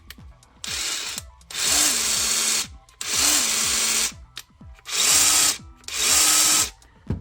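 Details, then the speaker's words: Ridgid 18V SubCompact brushless impact driver in auto mode: four loud hammering bursts of about a second each, pitch stepping up then holding, with short pauses, as the tool senses the fastener and stops; normal auto-mode cycling, no fault. "this one is in the auto mode looks like so that's why it was making that strange noise yeah so it's making that noise because it's sensing"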